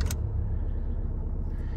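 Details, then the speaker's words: 2015 Dacia Sandero diesel after a fuel filter change: deep, steady, low idle rumble with an even beat and no knocks or misses; it runs with no problems whatsoever. Normal idle. "we are you can see the cars running perfectly fine there it's got no problems whatsoever"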